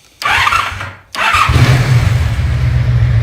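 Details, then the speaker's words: Motorcycle after carburetor synchronization by adjusting throttle valve positions, with vacuum ports plugged: short crank, brief stumble, then steady even idle with no hunting, idling better than before; normal idle. "Now, I don't know if you guys can tell or not, but it idles a lot better than it did. I like it."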